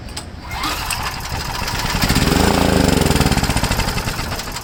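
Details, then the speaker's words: Homelite generator with a 389cc Honda engine: it catches on spray, runs rough and pulsing for seconds, then fades; fuel starvation from poor fuel flow and a dirty carburetor. "So I don't know if we have a blockage from the gas tank to the carburetor or it's all on the carburetor. Not really sure."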